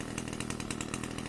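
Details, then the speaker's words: Pole saw small two-stroke after replacing a hard-starting carburetor with a new bolt-on aftermarket carb: steady high-rev buzz, even crisp note, no stumbling; now runs great after the carb swap. "it runs great now"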